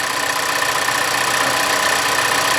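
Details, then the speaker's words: New 2024 Toyota Land Cruiser hybrid, small turbo four, at idle: thin, busy metallic rattle and tapping over a light, even engine note; reviewer says dealers would call it normal, suspects worse on 87 octane; cause unconfirmed. "I hear it right now. I mean, it's like tapping. They would say it's normal, it's new."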